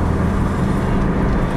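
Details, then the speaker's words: 2003 Pontiac Grand Am GT while driving at speed; steady low hum, also felt in the wheel, under road and wind noise; confirmed as a bad front wheel bearing. "can still hear this uh you know hum I can feel it in the wheel too so I would like to get down to the bottom of it"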